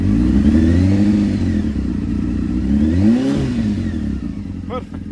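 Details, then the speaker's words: Honda CB600F Hornet inline four after replacing cooked regulator rectifier and burst fuel line, battery reading about 14.3 V: pulls cleanly through a quick rev and settles evenly, no misfire or rattle, sounds much better; normal running and revving. "That is perfect. That's what you need. Sounds much better as well now."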